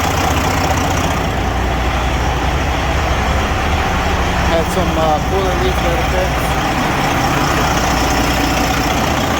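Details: Detroit Series 60 14L semi-truck diesel, first start after an in-frame rebuild: even, low rumbling idle with no knocks or misses; runs steadily, oil pressure over 50, but white-bluish smoke, injectors or overhead suspected.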